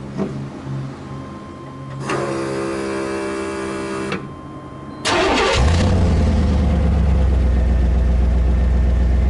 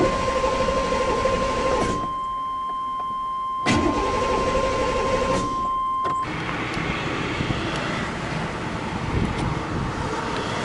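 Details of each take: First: 1997 Chevy C1500 5.7L V8, truck with a cranks-but-won't-start problem and a fuel pump assembly needing replacement: starter cranks, engine catches with a quick rev, then settles into a steady, even idle with no miss. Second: 1997 Chevy C1500 5.7L V8 cranks steadily on the starter but never starts; the fuel pump assembly, replaced in 2018, is suspected of failing again, not confirmed.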